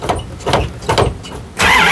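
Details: Big V8 in a 1976 vintage RV camper, first start after winter storage, quarter tank of stabilizer-treated gas, pedal pumped first: a few slow, even cranking pulses about two per second, then it catches promptly and runs steady; a healthy start.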